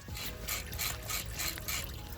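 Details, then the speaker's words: Old high-mileage diesel van idling: dry, rasping crackle repeating about twice a second from the worn water pump bearing, after two other noisy bearings were replaced; crank pulley new, steering pump seems fine, A/C pulley disconnected. "What's left is the water pump, whose noise I don't know if can be heard in the video, but it's a lot."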